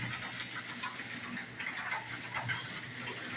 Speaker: all pivoting and moving nice and happy now.